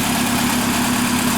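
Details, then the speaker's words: Fiat Linea on cold start at idle: loud steady idle with a fast, even mechanical patter riding over the engine; mechanic suggests it could be the pump, cause not pinned down. "e entrou aí um linea e o carro tá fazendo um barulho quando liga"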